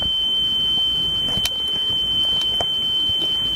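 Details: Sony Walkman WM-EX610 cassette after belt replacement, test tone on a wow-and-flutter meter: clean, steady high tone holding even with no audible warble; playback speed now stable.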